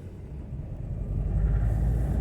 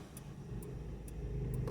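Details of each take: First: 2004 Toyota Echo pulling away under load: low, uneven rumble with an irregular stumble, engine shaking badly, code P0301 cylinder 1 misfire; faulty ignition coil suspected, coils being swapped to see if the misfire moves to cylinder 2. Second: 2004 Toyota Echo with a cylinder 1 misfire (P0301) and heavy shaking, after diagnosing by swapping ignition coils: quiet, even engine note with a smooth low rumble, and the vibration is gone.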